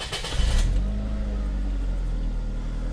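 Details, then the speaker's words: 2.3L Duratec Ford Escape/Mazda Tribute petrol engine just after replacing a worn, bouncing belt tensioner that had caused a ticking rattle: cranks, catches and settles into a smooth, steady idle with no ticking after a couple of minutes, not yet fully warm. "Sounds pretty good so far. I don't hear the ticking yet, but it's only been a couple minutes."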